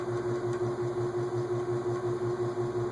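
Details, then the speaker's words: Emerson six-blade 30-inch Longnose antique ceiling fan, believed 1920s: after loosening the switch housing/oil cup to free the stiff-starting rotor, a soft rub pulses about three times a second over the motor hum; rotor possibly hitting the oil cup, blades apparently not touching light kit. "Okay, since we've changed that, something's hitting a little bit. I wonder"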